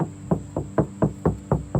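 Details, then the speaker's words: Acura RSX salvage-auction car, driver's side panel tapped with a knuckle about four times a second. Each tap rings hollow, meaning bare sheet metal with no body filler (bondo) underneath. "So now we're gonna see, this is the driver's side, right? Looks good, very hollow, no bondo here."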